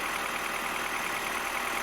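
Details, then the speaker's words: 2007 Mini One 1.4 (N12, Valvetronic) with cold-start hunting idle, just after replacing the Valvetronic solenoids: even, steady idle just above 1,000 rpm with a smooth top-end whirr, no hunting; better, settling. "Okay, so that's a little bit better. The Valvetronic has to adjust itself and get some oil in it. But at the moment it's quite steady,"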